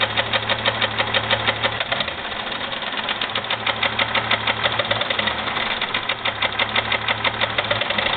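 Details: 2001 Jeep Grand Cherokee 4.0, oil changed regularly, noise began suddenly: sharp regular ticking knock about three per second at idle, tracking engine speed. Piston slap or rod knock suspected, not confirmed.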